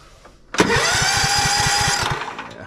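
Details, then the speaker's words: Toro TimeCutter zero-turn mower (model 75740, Loncin engine) cranks steadily at about six thumps a second with no catch, without choke. Spark tests good; it cranks but won't start. "um it's not starting so it'll just turn and turn and turn and turn that's what the customer said before"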